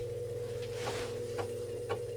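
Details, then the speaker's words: Commodore 1571 floppy drive (refurbished, paired with a C128) formatting a test disk via BASIC 7 HEADER command: even motor hum, steady low drone, crisp head step about every half second; normal formatting. "Alright, that sounds good. It's formatting the disk."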